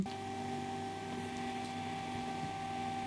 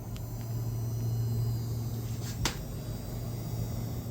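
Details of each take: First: Ryzen 9 9900X and RTX 5090 Founders Edition SFF PC at first successful power-on after flipping the power/reset cable: quiet, steady fan hum with a constant faint whine, no clicks or buzzing; runs normally. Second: RTX 5090 Founders Edition with a Ryzen 9 9900X in a 15L Ncase M2 SFF case, under heavy load near 480 W, GPU about 73°C: thin high-pitched coil whine over the fan hum. It persisted after a PSU swap and RMA.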